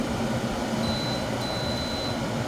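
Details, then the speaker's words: Frigidaire window air conditioner after deep clean, cool mode, fan low, thermostat at 60: compressor has kicked in, steady even whoosh of air over low compressor hum, no rattles or grinding; running normally, may need refrigerant. "The compressor already kicked in and it's blowing, so you want the AC to run properly."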